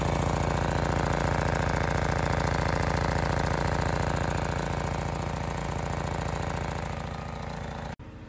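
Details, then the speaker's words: Honda EX1000 suitcase portable generator, cheaply bought and said not to work, running outdoors unloaded before an 800 W oil heater load test, choke off, correct air filter missing: steady even drumming at constant speed, no misses or rattles. "so you can hear it gently drumming away outside"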